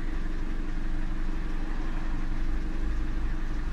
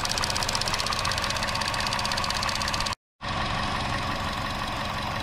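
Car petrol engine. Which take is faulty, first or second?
second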